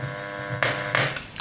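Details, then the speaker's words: Blaupunkt car radio from a Mk3 Ford Cortina, bench-powered at 12 volts through a 1 amp fuse: steady low hum rises at switch-on with a couple of sharp clicks, dial bulb lights; amplifier output stage working. "We've got life, signs of life. Now that sounded like the amps."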